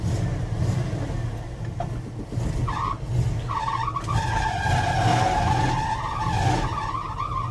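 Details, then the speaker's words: 1980 Dodge W200 3/4-ton 4x4, under 54,000 miles, needing a tune-up: high-pitched squeal comes and goes over the engine as the truck turns; power steering squeal. "ah it needs some tun in big time but I haven't had time to do that power steering is absolutely"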